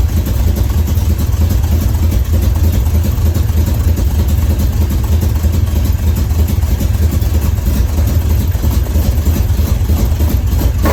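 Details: 1981 Chevrolet Camaro Z28 V8 after 15 years dormant, restored with new pushrods and fresh oil, throttle pedal hooked up: deep, steady, lumpy even rumble with light throttle blips, no knocks or misses; healthy.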